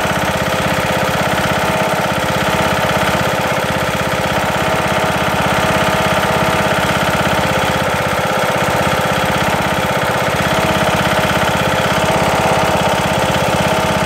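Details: Briggs & Stratton single-cylinder lawn tractor engine after replacing broken camshaft and timing gear: hard, rapid, loud knocking at speed; owner suspects misalignment, flywheel wobble or something loose.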